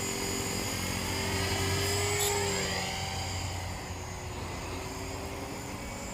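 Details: Trex 450 RC helicopter test flight after a crash, fitted with a Common-Sense RC TR450-35 3500kv 500-watt motor, 13t pinion and a smaller lipo: high thin squeal over steady rotor chop, pitch shifting with head speed; bad main shaft bearing.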